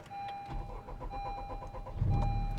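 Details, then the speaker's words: 2021 Honda Civic Type R Limited Edition (FK8) with a JDi Ghost Lock fuel-cut anti-theft device, after the remote unlock signal restores fuel pump and rail pressure: brief crank, then a smooth, steady idle with no stumble; normal restart. "so now the signal was sent we're back and running again and everything is up and good to go"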